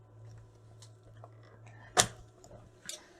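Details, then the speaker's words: Trojan treadmill DCMD67 control board, mains plug pulled while a multimeter is on the motor FET drain: one crisp relay drop-out click over faint mains hum, normal at power-off, while the bulk storage capacitor still holds voltage. "you can hear the reload switch off"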